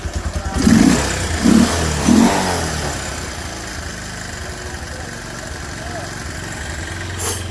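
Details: Bajaj Pulsar 150 with pickup problem, after carburettor work adding a little more fuel to the mixture: three quick throttle blips, then steady, even single-cylinder idle with no popping or stalling; running clean.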